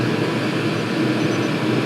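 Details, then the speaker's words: Chinese 5-7kW 12V diesel air and water heater at maximum power (five power levels, no temperature setting), water at 70 degrees: steady even roar with faint constant hum, no knocks or surging; producing hot air and hot water, works. "it absolutely works. We got hot air, hot water, and this isn't the most horrendous controller in the world I've ever used."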